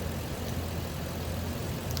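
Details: 2004 Lexus GX470 V8 after fixing a high-pitched squeal, blamed on a weak serpentine belt tensioner: steady, even low idle, no squeal or chirp from the belt drive, sounds healthy.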